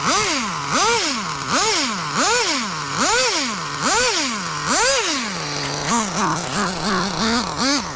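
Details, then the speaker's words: Budget pro nitro RC engine, run after the glow plug was found bad: high buzz with smooth repeated throttle blips about once a second and crisp, even response; normal running. "You can tell there's a lot of power to the ground in the back with that diff fluid."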